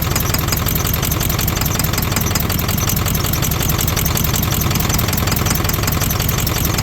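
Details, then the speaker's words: 32-year-old OBS Ford 7.3 Powerstroke diesel, revived after sitting abandoned for years: lumpy, stumbling idle as if several cylinders miss; with one connector unplugged it misses on only one cylinder, plugged in it misses on about half. "With that one unplugged, it sounds like it's only missing on one. When we plug it in, it sounds like it's missing on half of them."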